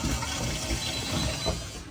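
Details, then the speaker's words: LG top-load washer in quick diagnostic test mode, T4 drain pump step, brought in for codes and noise: steady pump hum under gurgling, rushing water with no rattle or grinding, pumping normally with no codes. "T5 door locked shift and spin there it is just working doing fine no codes good There She Goes pumping spinning good"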